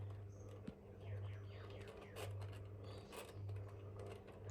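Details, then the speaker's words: GEC Relite 140cm industrial ceiling fan on its original controller, with a new capacitor, running on speed one (low). A hum swells about once a second, with faint squeaky chirping from worn motor bearings. The blades are out of balance and wobble. "This thing does have a brand new capacitor in it. So that's why it starts up fine. Cuz the old ones in them, they were terrible. So you'll start to hear the bearings already."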